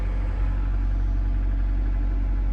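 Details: Wrecked 25-year-old Honda started after engine work, cranked without ECU or fuel pump to try for oil pressure, then fired; steady, even low idle with no knocks, ticks or misses, smooth and settled; engine running healthy.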